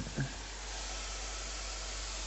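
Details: Faint, constant hiss with no rhythm from water escaping under pressure.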